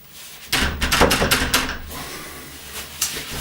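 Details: Door rattling in its frame, a quick loose wooden clatter about three knocks a second, because the strike plate has too much play; fixable by adjusting it with a hammer.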